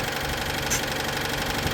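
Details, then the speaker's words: Citroën 2CV with new flat-twin engine at idle: rough scratchy rubbing keeping pace with engine speed, even with cover off; cooling fan catching on a bent cowling, first thought to be alternator or pulley; plan to remove fan and reshape cowling. "that's rubbing there and that's rubbing there, but this cowling seems really bent and I don't know when that's happened."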